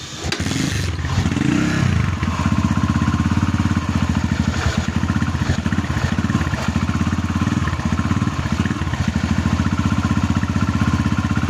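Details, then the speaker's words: Barako 2 single-cylinder motorcycle with repeated connecting rod replacements and a replaced crankcase, idling roughly with a loose clattering rumble. Teardown found worn, loose crankshaft bearings (size 6328), which were replaced. "Ayan na mga idol nakalas ko Na Bale ang nakita kong sira dito ay mga bearing ng segunyal"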